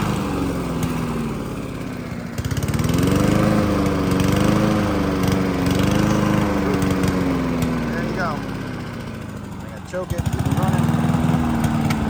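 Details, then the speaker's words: Honda HRC216 mower (GCV-series engine), hot, needing choke, original carburetor: speed swells and sags, nearly dies twice; surging from faulty carburetor. "The first one you saw was falling all over itself."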